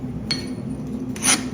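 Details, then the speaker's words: Forged survival axe head after a third quench (heated to maximum temperature, quenched as fast as possible): file skates across the steel with a bright whistling rasp instead of biting, showing it is properly hardened; two earlier quenches had failed. "На щастя це спрацювало диви та ти що І осибоси спрацювало приємний свист"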